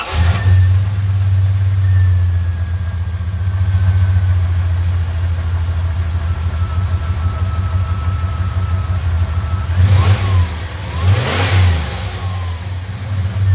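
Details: Dodge Dakota 5.9 V8 turbo project with new downpipe, intercooler and full exhaust, belt fitted, stock injectors and untuned: start-up settling into steady burble, then two clean rev blips; healthy-sounding exhaust.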